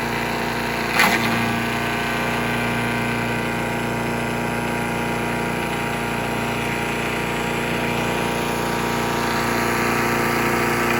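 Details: Troy-Bilt chipper/shredder with a small petrol engine, revived, chipping under load. It holds a steady, even drone with a brief knock near the start and is running well. Owner suspects rocks were dropped in and the blades need changing.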